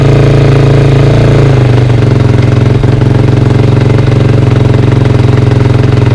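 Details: 2003 KTM 450 SXF single, first start after sitting six months, carb drained and fresh gas added: even thumping that dips slightly, then settles into a steady idle with no knocks or misses; healthy.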